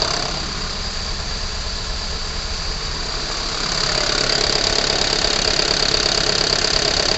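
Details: Unit 45 217 running hot (Torino MD), failed fan clutch reported: steady engine drone with a loud hiss rising midway and a regular pulsing shake near three per second, engine vibration.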